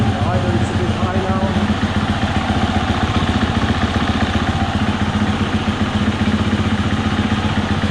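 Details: 2020 Husqvarna FE 350, 40 hours, formerly bogging under open throttle, reassembled after fuel filter replacement: single-cylinder settles into even, steady idle with regular beat, no misses; running clean, idle may need tweaking.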